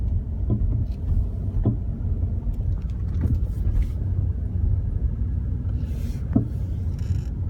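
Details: BMW E34 while driving: sudden irregular single clunks a second or more apart over steady low road rumble; source still unknown.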